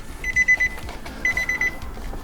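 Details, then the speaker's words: Nissan Titan VK56 V8 after oil pan reseal, injectors disconnected to circulate oil, possibly weak battery; engine turns while short high beeps repeat in clusters about a second apart. Warning chime beeping while cranking. "so we're just going to crank it and hopefully it at least cranks oh beeping noises oh it turns"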